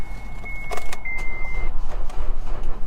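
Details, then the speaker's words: Salvage-auction car, on a start attempt: sluggish, uneven cranking with a warning chime, and the engine nearly catches but dies. It will not start because of a dead battery. "Damn, battery's dead on this one too. Oh, so close. It's trying. It's trying."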